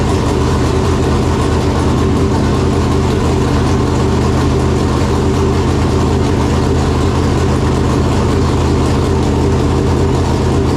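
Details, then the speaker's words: Chevelle with newly installed 568 big-block Chevrolet and Jerico 4-speed, up to temperature after first start; deep, loud, steady idle with even, slightly lumpy beat and no knocks or ticks, normal idle. "Well, there we have it. Big Booty Judy is alive. 568 came to life. Came up to temperature good."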